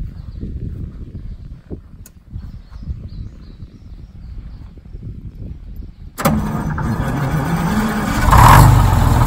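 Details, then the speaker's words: Detroit Diesel 6-71 in a 4104 bus, very cold night, low battery: slow churning crank, catches in about six seconds and settles into a steady, even idle; normal start with a battery charger on. "but it starts so quick I don't have to crank it it was really cold last night"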